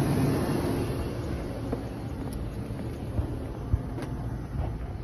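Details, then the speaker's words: 2001–2006 GM full-size SUV (Tahoe/Suburban/Yukon) idling after alternator replacement (old unit had a bad bearing), charging about 14 volts; steady smooth low idle with no knock, tick or belt squeal, much quieter than before: normal idle. "all right now i see much much much much better she was running a lot funkier than this trust me shut right off and she's much quieter"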